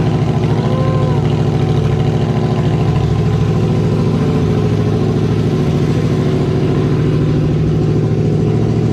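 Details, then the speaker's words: 2002 Yamaha Venture Midnight Edition touring motorcycle, V4, after fuel pump, fuel filter and battery replacement and tank cleaning, choke pulled out: smooth, steady low rumble with an even beat, no knocks or misses; healthy running. "we got an island pretty good um running everything checked out so now we just got to put it back together"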